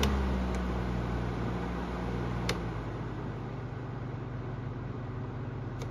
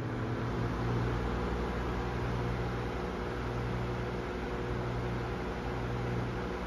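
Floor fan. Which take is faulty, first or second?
second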